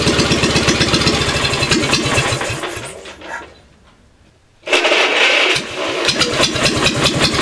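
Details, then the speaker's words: Wisconsin THD two-cylinder 16 hp engine, pistons moving together for even 360° firing, first cold start in 20 years: catches, stumbles, dies briefly, refires and settles into a steady even beat, sounding like a two-cylinder; normal running, even firing. "it sounds like a two-cylinder it doesn't sound like a one cylinder running twice as fast"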